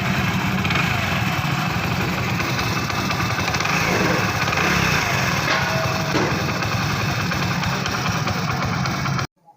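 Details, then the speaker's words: Honda CD100 Pride single-cylinder at idle after cam chain noise repair, chain cleaned and part refitted and bolted: even steady putter with no timing chain rattle, smooth; normal idle. "दोस्तों यह अब आप सुन सकते हैं गाड़ी का sound बिल्कुल ठीक हो गया है इसमें किसी भी किस्म की टाम चैन की आवाज नहीं आ रही गाड़ी बिल्कुल स्मूथ हो गई है"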